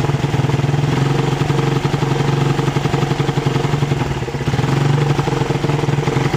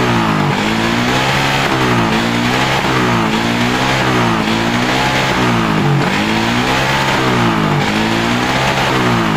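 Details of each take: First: Suzuki Satria FU 150cc, carburettor fine: engine pulls up on throttle but breaks up and stumbles unevenly; misfire on acceleration from a loose ignition coil socket, tightened as the fix. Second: Suzuki Satria FU 150 that stuttered on throttle, after tightening a loose connector: several blips rise and fall smoothly with no stutter or misfire; normal revving, stutter fixed.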